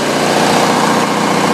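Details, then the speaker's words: Generator loaded with homemade 240 V baseboard-heater load bank past 5,000 watts: loud, steady engine drone holding even pitch, no surging, stumbling or hunting, no smoke; carries heavy load fine. "you can hear that machine still keeps running absolutely no smoke whatsoever"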